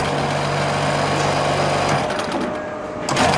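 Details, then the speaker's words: Scotsman MAR.10.AS.I flake ice machine compressor: hum runs about two seconds, cuts out, restarts a second later; short cycling, suspected pressure switch setting problem, with the fitted switch wiring serving no purpose. "Le seul truc qui est pas bon c'est que je l'ai entendu claquer plusieurs fois le compresseur. Il y a un petit souci je crois au niveau des réglages des pressostats."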